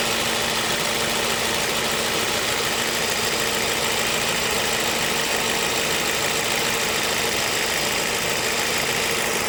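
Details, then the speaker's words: Ford Focus, 93,905 km, 10 years old, leaking compressor oil at fittings, before repair: constant low hum under loud fan rush at idle with AC on, 31°C outside; the AC compressor is noisy. "คันนี้คอมแอร์มีเสียงดังนะครับ"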